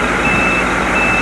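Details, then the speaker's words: White 4-175 tractor, first start after rear main frame repairs. A steady high-pitched beep over the running engine is the PTO/low rear frame lube pressure alarm, the main remaining problem along with sticking valve detents. "that's that's about the only problem really is the the um the alarm PTO pressure alarm and the um detents"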